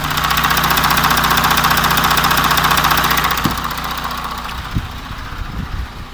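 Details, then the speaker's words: Audi Q7 4M 3.0 CVMD 2016, about 170,000 km, listening by oil filler side then other side: steady idle with regular light knock about 2.5 per second; timing chain stretch suspected, not confirmed. "Так, обзор на тему стуки в моторном отсеке Audi Q7. Вот, вот сейчас вот мы послушаем эту сторону, где заливная горловина."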